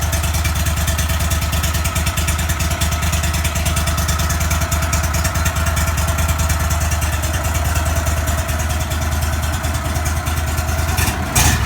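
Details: 35hp Vanguard V-twin on a Go-Devil surface drive, after an oil change, choked with no throttle while the filter fills: steady, even low thump, no knocks or rattles. Healthy idle.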